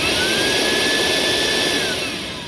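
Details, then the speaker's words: 2003 Cadillac DeVille DHS with code P0410, secondary air pump under the car on a frame rail, switched on after repair: steady electric whir with a high even hiss, then eases off; running fine. "That was a success. All right, commanding the scan tool now. And that worked."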